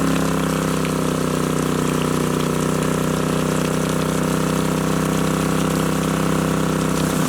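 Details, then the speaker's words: Alaska water well pipe, previously frozen solid overnight in freezing temperatures, after thawing fix: steady rushing gurgle with even low hum as water drains down the pipe, out a small hole and back into the well; normal drain-back. "All right, that noise that we're hearing, that is the water draining down the pipe and out that little hole and then down and back into the well. So that's a good sign."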